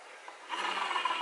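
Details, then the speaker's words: Honda Beat scooter CVT rear pulley bearing turned by hand: dry gritty rasp, rough instead of smooth; worn bearing blamed for humming when decelerating, to be replaced. "kita pakai ini suaranya kasar ya kalau kedengeran ini suaranya kasar"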